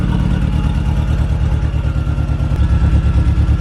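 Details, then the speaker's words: MK1 Golf 1.8T AWD project car: loud, rapid chuffing puffs over a steady idle with a rougher edge as it revs, engine otherwise running pretty good; a very bad exhaust leak. "so i think it's running pretty good man that exhaust or that yeah that exhaust leak is wicked though"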